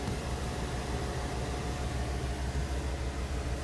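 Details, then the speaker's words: 1991 VW Transporter Doka electric conversion from 2013, separately switched electric power steering pump on, about four amps total draw: steady even whir and low pump hum, no knocks or whine; steering works fine. "it's pulling four amps well not it all together that's not additional so stirring seems to work fine"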